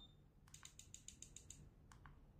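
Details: Swiwin model jet turbine ECU component test of the gas valve: about seven crisp, evenly spaced clicks over quiet background; the gas valve actuates cleanly and works fine.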